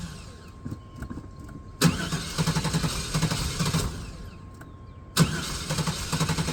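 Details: Neglected OBS GMC/Chevy V8 truck, first start after long storage on old gas: two start attempts catch and then run lumpy with an uneven, stumbling beat; it is not running on all eight cylinders.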